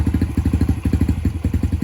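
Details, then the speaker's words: 2019 Yamaha TTR 50 after carb work, previously running only on choke until warm: quick, even single-cylinder idle, about ten pulses a second, with the choke off; idle now richer, and the idle setting may need adjusting. "No choke. We may have to adjust the carb a little bit because now we have more fuel on idle."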